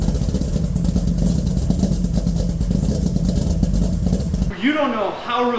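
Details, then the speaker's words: Freshly built Corvette motor with custom blower cam, first start after rebuild: fires and settles into a steady, even idle with a firm low burble, no knocks or ticks; heavy smoke hoped to be burn-off; normal running. "i am then it actually started it sounds good it was there was a lot of smoke which i hope that's just stuff burning off and it's a clean motor it's just freshly built"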